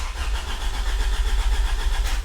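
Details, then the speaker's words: 1996 Honda Civic EK hatchback, B16 swap, first start attempt in neutral. Steady starter cranking with even compression pulses but no firing; the fuel pump never runs, later traced to the Honda main relay. "oh it's turned over that's a good sign I did not hear the fuel pump though so I don't know maybe Honda fuel pumps are super quiet or maybe I'm doing something wrong I'm not sure"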